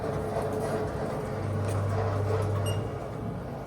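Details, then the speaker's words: Haas VF0 CNC chip auger motor after repair of noisy motor: steady low gear hum with even whir, no rattle or knocking, as quiet as other machines; normal running. "they're noisy anyway because the're um reduction gear system in them um but repaired that so that sounds good"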